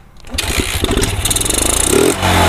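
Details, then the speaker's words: Yamaha Jupiter MX motorcycle that kept stalling despite repeated vacuum part changes, now fitted with a replacement RX special carburetor: the first start test catches immediately, revs cleanly and settles to a steady run. Normal start and rev; it still needs tuning. "normal ya Langsung hidup ini dia posisinya dari kobra ternyata nah enggaknya normal"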